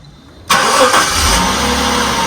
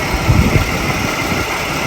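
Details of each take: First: 1996 Jaguar XJ 3.2 with a slight misfire, first start after fitting all new spark plugs and changing the number two cylinder pencil coil: it catches at once and settles into a steady, even idle with no stumble. Normal start and idle. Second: 1996 Jaguar XJ 3.2 at idle: uneven lumpy idle with heavy stumbles, a slight misfire. Thermal imaging shows one ignition coil cooler (38–39 versus 44–48 on the others), so that failing coil is suspected.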